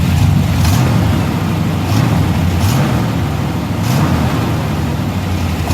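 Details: 1990 Chevrolet K1500 truck, 5.7L 350 V8, automatic transmission: low, lumpy V8 idle with rhythmic puffing and chuffing through rev rises, before repair; exhaust leak somewhere along the pipes.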